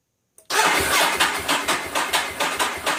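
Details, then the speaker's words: 2011 Ducati 1198 SP hard-start problem: starter cranks in an even chug, about three pulses a second, without catching or firing; engine floods and won't start. "It's flooding now. So this is how they start. Or don't start."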